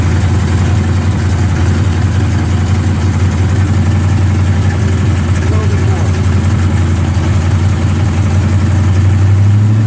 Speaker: trying to rule out if that's a rod knock, broken flex plate. We have no idea, but it's loud when you drive it.